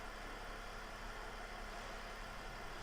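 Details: 2009 Mercedes E320 Bluetec diesel being repaired for a boost/loss-of-power issue: steady low idle during a diagnostic test, even murmur with no knocks or surging; engine sounds smooth and healthy.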